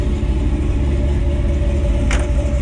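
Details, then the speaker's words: Fully built 1957 Chevrolet Bel Air, small-block V8 of about 500 hp (estimated) with MSD ignition, old exhaust setup, three-speed; recorded outside at the tailpipes at light throttle: deep, steady burble, even, no rattles or ticks, a normal exhaust rumble. "show y'all some outside exhaust sounds pretty good though"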